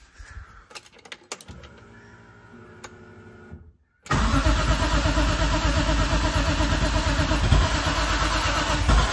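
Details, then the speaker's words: BMW E30 M3 with swapped S54 engine, starting fluid sprayed into the throttle body; a few seconds of quiet clicking, then it catches and roars loud running rough on the spray; DME gives spark but no fuel delivery and no throttle response. "happens all right so it did it fired up it fired up but that's it um I was pushing the pedal oh turn this off I was pushing the pedal and nothing was happening so even though the DME is has spark and I'm not getting fuel"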